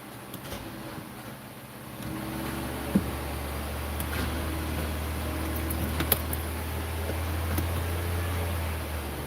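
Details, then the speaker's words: 2008 BMW 328i after alternator replacement: starter drones steadily for about seven seconds turning the engine without catching; battery drained, owner blames an amplifier draining it. "You hear that? It almost started. Battery's definitely drained."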